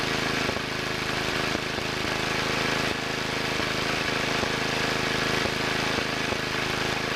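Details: 1963 Wheel Horse 7763 with two 7 hp engines: steady run broken by irregular puffs about every second; one engine seems to be missing, suspected carburetor main-needle adjustment, not confirmed.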